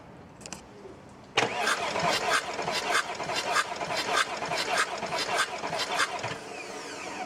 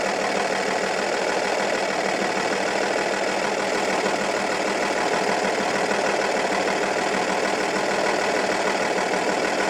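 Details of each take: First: Audi A8 D2 2.5 TDI V6 (AKE) diesel cranking steadily and evenly during a compression test. The gauge showed 0 on cylinder 4, 20 bar on cylinder 5 and 22 on cylinder 6. The cranking compression sounds normal. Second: Audi A8 D2 2.5 TDI V6 (AKE) diesel with a rough, lumpy idle that began after hydraulic lifters and rockers were replaced. Loosening cylinder 4's injector nut changes nothing, while cylinders 5 and 6 change the sound. Cylinder 4 is dead from a broken exhaust valve.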